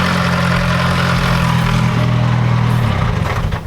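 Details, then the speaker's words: Nissan 240SX with a turbocharged KA24DE-T: heavy harsh diesel-like clatter at a rough low idle. Owners suspect a dropped valve, unconfirmed; it smells bad and there's no oil. "you sound like a freaking diesel yeah not good news just listen to that thing we think he dropped a valve"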